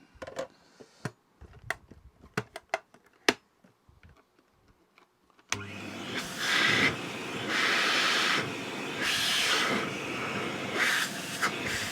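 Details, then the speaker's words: Vintage Hoover 419 cylinder vacuum cleaner on its first power-up before de-suppressing starts into a steady, even rushing whoosh with no rattle or labouring; suction is good and it needs little work. "there's really no bad suction on it at all this isn't going to need much to do into it"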